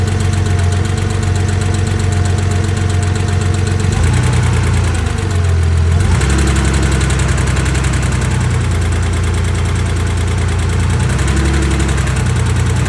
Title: Porsche 911 engine tapping/ticking noise - 2.4 MFI